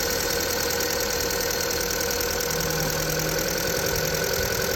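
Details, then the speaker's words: VW Polo engine idling at about -6°C with a steady, fairly mild high squeal from the alternator belt, usually much louder at -15 to -20°C; spraying the belt made the sound largely disappear: alternator belt squeal at idle. "Звук вот это свист его не так слышно обычно его сильно слышно когда -15 -20"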